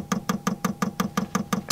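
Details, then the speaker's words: Diesel heater metered diaphragm dosing pump in skoolie bus, fuel drawn from tapped tank, on prime setting: sharp evenly spaced ticks about six a second over quiet background; pump priming the fuel line normally, bubbles clearing. "into the pump and then come over this line and we're priming the line that's what we're doing there's a setting on the pump to prime the line"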